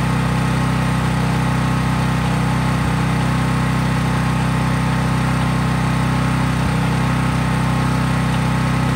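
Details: Craftsman 5000 W generator, used about once a year, running with no load or only a lamp or drop light plugged in. Steady, even low drone with a constant hum, no misses or surging; normal healthy running.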